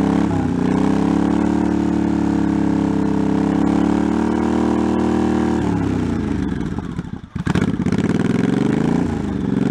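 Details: 1984 Honda Shadow VT700c V-twin, first startup after sitting over 7 years, carbs and fuel lines rebuilt, main tank off, started with starting fluid; even burble holding steady, revs drop and recover, keeps running on its own with no knocking; healthy.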